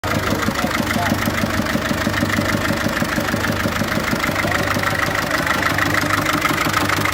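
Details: 1.6 HDi diesel idling with a defective injector, running very rough and smoking: uneven lumpy beat about three pulses a second, one cylinder misfiring; fixed by replacing the faulty injector.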